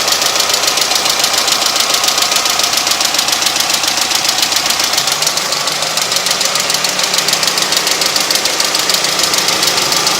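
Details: Honda H23A engine at idle: sharp, fast tapping about three to four beats a second from the head, with a duller low knock below; owner wonders if it is early rod knock; undiagnosed.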